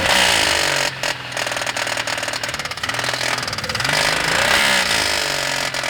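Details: Toyota 1G-EU engine: loud, sharp, rapid metallic rattling knock running fairly evenly; engine knock, source unclear, possibly where the owner points.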